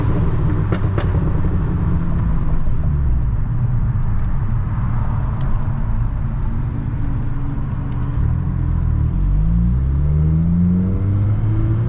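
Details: Mk6 GTI accelerating on the freeway after replacement of a seized exhaust-side balance shaft, chain and tensioner: deep, steady drone over road rumble, with pitch climbing smoothly and no knocking or misfire; revs cleanly.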